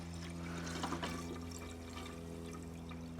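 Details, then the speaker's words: 1985 Austin Metro van revived after 25 years in a barn, idling: coolant pours and trickles from a rusty Jubilee hose clip that spins instead of tightening, flowing through the wide-open thermostat; clip to be replaced. "Just from the fact that there's water pouring out of there does mean, and I can literally see it,"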